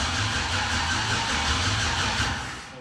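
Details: 1971 Chevrolet Impala, LS-swapped: starter spins the engine at a steady churn, about three beats a second, never fires; cranks but won't start, no spark found, fuel pump possibly not running while cranking.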